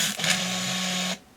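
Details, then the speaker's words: Olympus Infinity Jr 35mm point-and-shoot film camera: motor rewinds the short roll at the end of film, a high steady whir holding one pitch then cutting off cleanly; counter runs back, film wound into canister leaving the tail out; normal rewind. "Okay, it's reached the end, so now it is rewinding. You can hear the motor running."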